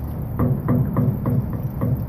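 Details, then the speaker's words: Old RTU13 rooftop unit with low motor hum and a steady thump about three times a second from a bad internal motor bearing. No grease fitting was ever installed, the belt is glazed and cracking, and the motor will fail soon. "That's a bad bearing inside the motor. If you're listening closely, the bearing is bad."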